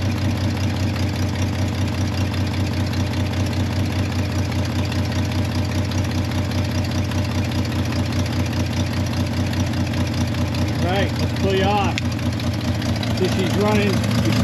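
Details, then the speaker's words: C30 V8 test-run with water cooling, cold start: steady idle with an uneven puffing tick at about two or three per second from an exhaust manifold leak still present; finding: exhaust leak. "got the leak there for the exhaust can't work too much out"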